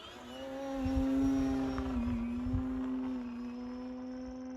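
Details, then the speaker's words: FMS Pitts RC plane in flight after a loose battery tray caused a bad rattle: a steady mid-pitched motor drone that swells slightly with throttle, with no rattle or buzz. The noise is gone and the motor runs smoothly. "looks like I got rid of that noise that's good"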